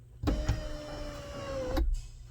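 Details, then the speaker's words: 2014 GMC Sierra SLT 4WD 6.2L L86 after the sunroof relearn (initialization) procedure fixed intermittent operation: a clunk, then a smooth steady motor hum for about 1.5 seconds ending in a clean stop as the sunroof opens, closes and vents normally. "oh i think she's fixed guys let's close it look at that custom vent it up beautiful down down down okay open close vent"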